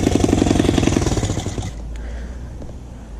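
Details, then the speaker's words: Motorcycle just started on choke after exhaust reinstalled to fix rattling: sharp rapid puffing tick about four per second with each firing; exhaust still leaking, not sealing at cylinder head port. "Listen to that, guys. It sounds like an exhaust leak. There is still an exhaust leak, guys."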